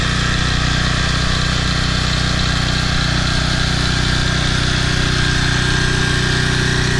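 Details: Toro Personal Pace 20333 mower, Briggs & Stratton 190cc engine, after fitting an aftermarket carburetor and correct governor shoulder bolt: even, steady putter at constant speed, no hunting or surging; healthy normal idle.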